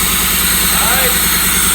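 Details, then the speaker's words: Abandoned Pontiac Fiero lowrider V6, just revived and running on its own fuel system, no throttle: uneven, lumpy idle missing pulses, possibly running on three or four of six cylinders; owner blames clogged fuel injectors after seeing the fuel. "what do you guys think is it running on three or four out of the six cylinders this is so so bad but to be honest with you i'm not even gonna dig deep into why it's misfiring it's gotta be the fuel injectors"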